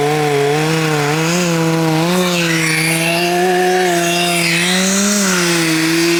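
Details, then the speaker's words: Husqvarna 266XP two-stroke chainsaw, restored resto-mod built from mostly OEM and NOS parts, owner suspects bottom-end bearings; held at high revs, pitch sagging and recovering as it bogs in the cut. Slow, labouring cutting from a dull brand-new chain, though no dirt was hit. "That is it. That chain is dull. Um I wonder what caused that. I didn't hit the dirt."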